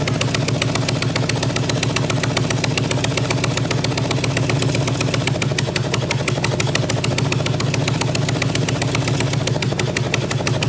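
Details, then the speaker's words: 1997 Harley-Davidson Evo Big Twin Road King struggling to idle, sharp raspy puffs on each firing: rear cylinder head exhaust flange missing a nut, exhaust gasket completely blown out, possibly also sucking air. "there's no nut on that rear cylinder head exhaust flange, and so that exhaust gasket is completely blown out. So that's probably not helping the situation here too. It sounds terrible."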